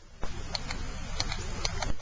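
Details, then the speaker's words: Fuel injector removed from a 1991 Honda Accord, bench-powered briefly: sharp light ticks each time power is touched on over a low background rumble; the injector solenoid clicks normally and works. "That tells you your solenoid's working, so that's one check."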